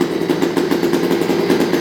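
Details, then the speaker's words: New OBR 46cc two-stroke gas engine with silenced pipe in upgraded Losi 5T 1/5 truck, first start-up, not yet broken in: crisp, rapid buzz with steady, even beat, no misses or rattles; running cleanly, pipe shockingly quiet. "Yeah once that engine's broken in, it'll be rippin. That pipe is shockingly quiet. Sounds awesome, Ev."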